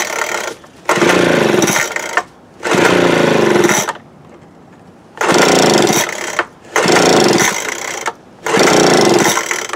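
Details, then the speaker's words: 2017 Troy-Bilt TB430 two-stroke leaf blower after new spark plug: throttle blips climb lazily then fall to rough idle; sluggish response, carburettor or unchecked fuel filter suspected. "you can kind of hear how you hit the throttle there it's like slow here slow coming up"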